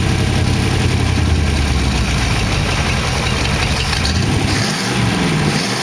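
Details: 1914 Dodge T-bucket roadster V8 with carburetors and mufflers, warm after first start: steady, even low idle with a smooth beat and no knocks or ticks. Good oil pressure; the startup lifter tick had calmed down.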